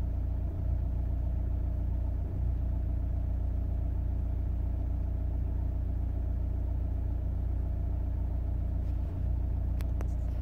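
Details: 2002 Audi A4 B6 1.9 TDI PD130 (AWX) diesel at idle: low steady rumble stumbling now and then as a cylinder misses, intermittent misfire, later solved.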